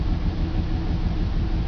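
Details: BMW 325 with M54 engine, cold-start idle lumpy and stumbling; stored codes show misfires in cylinders 3 and 5, sometimes 4. Clears once warm. PCV valve, spark plugs, coils and fuel filter already replaced, injectors cleaned.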